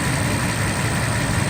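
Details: Mercedes SL600 V12, warm, at idle after a vacuum hose repair and pulley replacement: a steady, even low hum with no growl or rhythmic noise on top. Finding: normal, smooth idle.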